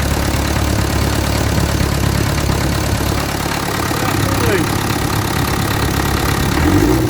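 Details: Land Rover Series 3 diesel just started for first time: steady low clatter at idle with somewhat uneven beat; spill pipes and washers leaking, radiator holed, not yet sorted.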